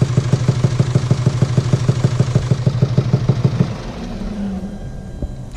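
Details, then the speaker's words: 2017 Mercedes E220d, 2.0-litre 654 diesel, heavy, regular knocking at about three a second at idle from faulty camshaft rocker arms, which were then replaced. "as you can hear there's a very bad knocking noise coming from the engine"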